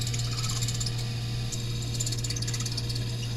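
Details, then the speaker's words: Refrigerator condenser fan: steady low motor hum with thin high squeal throughout, likely needing a new condenser fan motor before replacement; squeaky condenser fan motor. "probably in need of a new condenser fan motor. Today I'm going to replace mine and show you how it's done."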